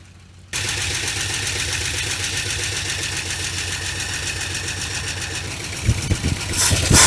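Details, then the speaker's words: 1980 Dodge Power Wagon engine, first start after sitting 20 years, idling while warming up: busy idle with fast light ticking following engine speed, a fairly loud lifter tap the owner hopes will quiet down as it runs. "That's a pretty good lifter tap. I don't know if y'all can hear that or not, but I'm hoping that'll quiet down after a little bit."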